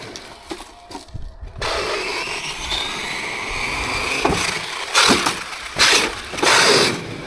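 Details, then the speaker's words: Traxxas X-Maxx 8S on 20/46 gearing with heavier Proline body and taller Sledgehammer tires: harsh whirring bursts with a gritty rasp on each throttle punch; insufficient mesh lets the pinion skip and strip on the spur gear. "and that's what happens that's what happens when you have very high gearing and put big tires on that the other tires were perfect it never did this"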